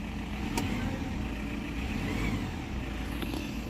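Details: Isuzu Trooper diesel with multiple engine problems: uneven, lumpy idle with irregular low thuds breaking the rhythm; engine misfiring and running rough, lagging and not boosting, with vibration and an oil seal leak noted.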